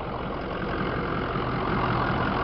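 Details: 2005 Ford E350 diesel box truck, 57k miles, ex-rental fleet, well maintained with clean oil; steady, even diesel clatter at idle with no knocks or misses, engine sounds healthy despite check engine light (owner suspects emission sensor); normal idle.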